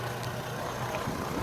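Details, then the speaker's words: Chevrolet Trailblazer/Envoy after a 4.2 engine swap. Quiet, smooth low idle with no ticking, knocking or stumbling; it runs well with no issues and decent power. Normal idle. "So the vehicle runs well, has no issues."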